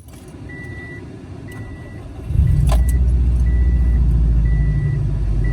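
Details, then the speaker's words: Subaru WRX after repair and a 15-minute ECU throttle-body idle relearn: door chime, then engine starts and settles into a smooth, even idle without the earlier up-and-down hunting. Normal idle. "it's been 15 minutes now it sounds like the fixes that we did to the car it's an idle and a lot smoother now doesn't have any that weird idling up and down"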